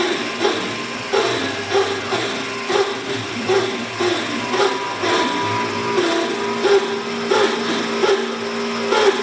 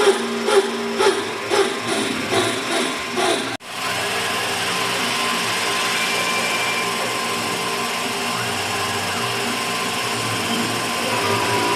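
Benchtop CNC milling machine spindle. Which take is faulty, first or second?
first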